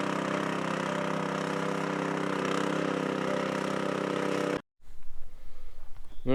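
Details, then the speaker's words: Chinese walk-behind track dumper bought broken at auction, first drive-off: small petrol engine runs steadily under drive load, then cuts off; drive works but skid-steer steering clutches do not work at all, cause not yet found. "Uh all right. Um the steering does not work at all. Um, these like are your steering clutches, I guess, to skid it, you know, like an excavator or a Bobcat or whatever have you."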